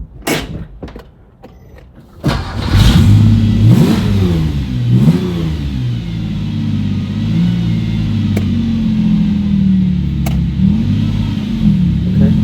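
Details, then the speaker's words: Porsche 911 with swapped Subaru EZ30R engine, first drive after 3 years of work, in gear pulling out of the garage: engine revs unevenly with a wavering pull, hesitates and rough under load, then stalls; cause unknown. "okay it's a little it's like a little rough I don't know why under load it's a little weird I just stalled"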